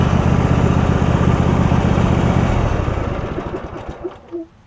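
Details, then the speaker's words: Husqvarna YTH rider, 24hp Briggs V-twin, 192.4 hours, after refitting fallen-off right-cylinder exhaust pushrod: strong even throb for three seconds, then winds down smoothly to a stop; running pretty good. "They like a running pretty good."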